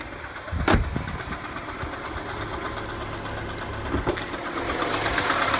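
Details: 2007 Mini Cooper (non-S) N12 petrol engine, cold start idle: light, fast ticking that follows the revs as they drop while warming, on the left side of the engine; fades above 2000 rpm, persists warm; new tensioner didn't fix it.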